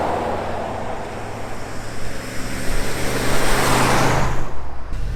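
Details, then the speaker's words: 1974 Ford F100 4x4 driving at about 40–45 mph: high, strained drone, engine screaming far too busy for road speed; cause found to be transfer case left in 4-low. "I'll have to check the gear ratio too, but it seems like we're just screaming doing 40, relatively speaking. Because we come up here to 45 and just, yeah, sounds like we're just singing along."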